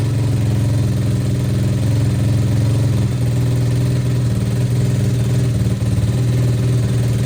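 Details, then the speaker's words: Apollo RFZ single-cylinder pit bike after service, carb not yet tuned: even idle with no knocks; the raspy, loud blatting comes from the leaking stock silencer, engine itself sounds fine. "Le moteur fait aucun bruit bizarre, elle est nickel. Ce que t'entends bah, c'est la cartouche, hein. Ça fait des bruits de merde."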